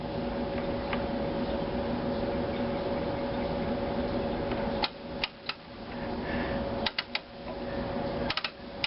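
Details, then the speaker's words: 1938 Hallicrafters S-20 receiver powered through a dim bulb tester after tube reinstallation; only steady hiss and hum with control clicks, no stations; B+ low at 167 V and the output tube grid lead had broken loose. No reception, static only. "Nothing when I turn the band selector or the tuning knob."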